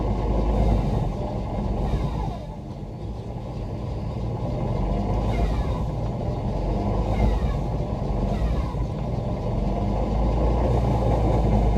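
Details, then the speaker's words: BMW E46 electric drift car, first wheel spin with the hydraulic handbrake pulled: the whine rises and falls with each spin-up over a heavy low rumble, from the gearbox running with no oil. "even in mind folks as well runnin with no oil hair in the gearbox Oh"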